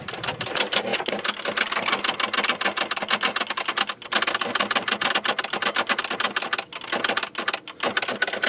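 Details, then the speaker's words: 2013 Chevy Silverado no-start with leaking but fully charged battery and jump booster in starting mode: fast continuous chattering clicks, no cranking; two relays clicking like crazy, cause unconfirmed. "okay it's these two these two right here these were clicking like crazy"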